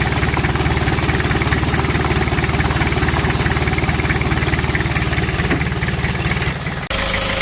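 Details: Kia Bongo Frontier 3.0 JT diesel at idle, also overheating (no fan shroud), low power and black smoke, with bad injector calibration suspected: heavy, rapid, even knock over a deep rumble; cause unconfirmed.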